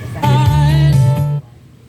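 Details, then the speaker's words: Subwoofer speaker after replacing the faulty 2030 amplifier IC: previously distorted channel now plays music full and clean with deep steady bass, no crackle. "na guys buo >> buo ng tunog niya kabila"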